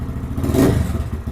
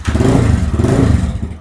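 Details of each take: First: Lifan KPM 200 motorcycle after throttle position sensor adjusted to 0.4% closed, 78.4% wide open: small single idles evenly, quick blip rises and settles cleanly without stumbling or stalling; normal idle and throttle response. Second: Lifan KPM 200 motorcycle with throttle position sensor misadjusted to 1.6%: a short rev drops into a low, lumpy idle at about four beats a second with hesitation, likely to die on quick throttle.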